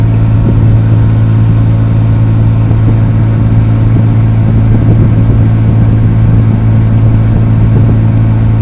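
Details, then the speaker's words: Chevy Avalanche after A/C compressor replacement, heard from inside the cabin: steady even low hum of engine and blower, no knocks, rattles or squeals; A/C running normally, vent reading about 33°, feels good. "and now we're inside feels pretty good in here see what we"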